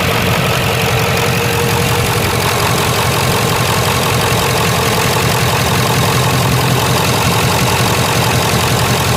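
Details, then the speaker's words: Ford F-250 HD Power Stroke diesel ranch truck idling evenly with usual clatter after replacing a torn-apart idler pulley and refitting the alternator belt; no squeal, chirp or rattle from the belt drive, no weird noises — normal idle. "Now seems like it's going to spin. All right. I don't hear any weird noises at all."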